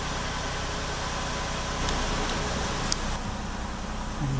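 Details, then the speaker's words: 2000 Lexus RX300 with codes P0300/P0302/P0304 and a flashing check engine light, restarted after an ignition coil swap and codes cleared. Lumpy, uneven idle with a stumbling beat a few times a second. Cylinder 4 misfires from a faulty coil. "okay so we got it restarted with the coil swap it's still running rough"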